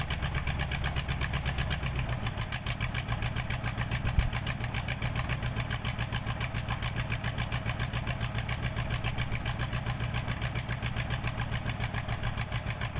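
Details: KAMAZ diesel on first start after a major overhaul: steady, even diesel clatter at settled idle with no knocks or misses; engine running healthy.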